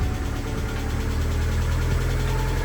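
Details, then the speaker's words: Budget Mazda MX-5 petrol engine idling on first start after wiring repair, before warm-up and oil change: faint, fast, even hydraulic lifter tick, worse than last time; owner hopes fresh oil will help. "the lifter tick. Worse this time, but last time it went when you can still hear it a bit, but I'm sure with fresh oil and the wind stuff it should be alright."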